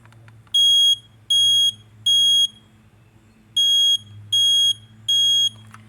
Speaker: you hear how it was three beeps that's what you want to know it's three beeps a smoke alarm is always going to be three beeps